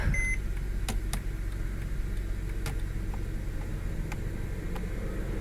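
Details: 2008 Mercedes C300 4MATIC, first key start after coding the customer-replaced front SAM cured a no-crank: a single short high chime over a low steady hum, dash warning "check right license plate lamp".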